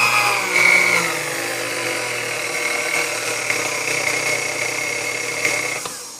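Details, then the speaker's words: Chrome Sunbeam Mixmaster Model 12 mixer motor before service: buzzy, uneven whine with a gravelly edge and wavering speed. Owner suspects the resistor is out of spec and the grease needs changing; the cord insulation is dried and crumbly. "It needs a bit of work, but nothing major. At least I don't believe so. It sounds like it's probably, resistor's probably out of spec on there, and I'm sure the grease needs to be changed."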